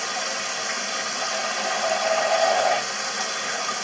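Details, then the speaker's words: Toilet cistern fill valve with a leaking internal diaphragm seal: a steady, unbroken hiss of water that never shuts off. A flush-seal leak would instead refill intermittently every 20–30 seconds. "c'est le joint de membrane qui se trouve à l'intérieur."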